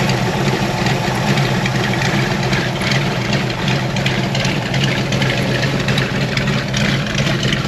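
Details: 413 hot rod coupe with magneto ignition and fuel pump, idling after sitting a couple of weeks: loud, lumpy but steady idle with crisp exhaust beat and no metallic knocking; engine running healthy.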